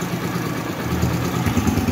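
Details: Newly installed replacement engine in a 2007 Yamaha YBR 125, at first start-up: a steady, even single-cylinder putter at idle with no knocking or ticking. The engine sounds healthy.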